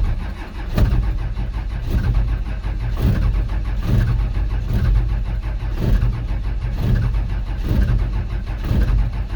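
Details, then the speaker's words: 12-valve Cummins diesel in a 1949 Chevy cab-over pickup, sitting months under snow at about -5°F, no preheater, cold start: slow, laboured cranking with heavy thumps and weak firing puffs, soot visible, never picks up. "well she's firing a little bit so there's a chance look at all that soot and give it a minute here to let that starter cool down"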